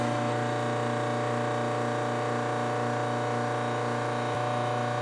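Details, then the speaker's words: Whirlpool washer on wash cycle, after filling to the selected level: steady motor drone with a rough rasp about four times a second and no agitation; motor coupler to be checked, cause unconfirmed; grinding, no agitation. "when the washer reaches the selected level it starts to make a grinding noise like"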